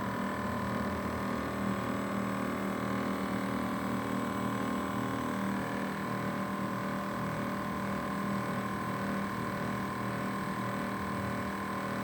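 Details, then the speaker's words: LG inverter air conditioner outdoor condenser unit: steady hum with a high tone on top and a faint wavering drone that keeps varying, loud enough to bother at night; abnormal condenser noise of unknown cause. "Ó, esse é o barulho que dá, ó. Você imagina isso à noite, cara, nossa. Aí ele vai variando."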